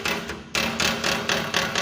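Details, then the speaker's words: Renault: sharp metallic knocks about every quarter second underneath the car over bumps, mistaken for suspension or engine mount; a loose bolt on the engine skid plate rattles, fixed by tightening it with a 10 mm wrench. "Qual é que é o defeito do carro um parafuso que tá folgado aqui ó do protetor de carter"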